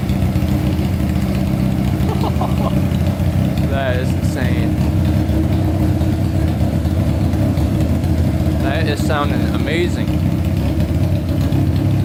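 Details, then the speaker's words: Honda CBR600 four-cylinder engine in a custom go-kart, carbureted, fuel pump not working: deep, steady roar with quick throttle blips rising and falling smoothly. Revs clean and strong, sounds healthy. "um wow that sounds amazing geez that is going to fly"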